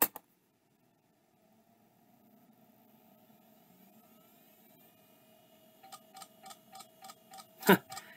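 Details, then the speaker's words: First of five drives on test: weak spin-up hum, then a steady tick about three times a second with a louder clack; clicking on spin-up, judged junk. "yeah that one's junk"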